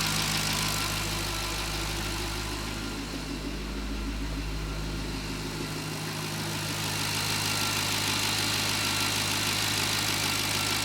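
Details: C6 Corvette V8 cold start after a week parked, following misfire repair for arcing and sparking with new coil pack wires; steady even deep rumble, no stumble, pop or skip, firing on all cylinders.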